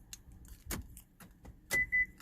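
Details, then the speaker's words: 2007 Hyundai Veracruz after the key fob was programmed: two crisp single clunks about a second apart, the second followed by short chirps, as the power door locks cycle cleanly and work properly. "So now make sure it locks and unlocks."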